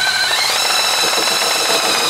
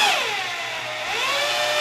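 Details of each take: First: Oil primer driven by a drill on a 200 straight-six: high steady motor whine that steps up in pitch then cuts off, drill spinning crooked and loose, suspected slipping on the primer shaft. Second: Second drill spinning the oil primer on a 200 straight-six engine being primed with 20W-50 break-in oil, after the first drill slipped: even high motor whine that dips and climbs smoothly with the trigger, no chatter or grinding, spinning cleanly.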